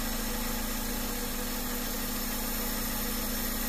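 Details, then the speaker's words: Honda Civic VTi automatic with a complaint of high idle that drops suddenly at start. After the idle air adjustment, the idle is now quiet, even and steady at one pitch, with no hunting or surging. Earlier it was going wild. Idle is now normal. "Tahimik na tahimik ang sasakyan para hindi umaandar. Kanina nagwa-wild, ngayon tahimik na. Yan."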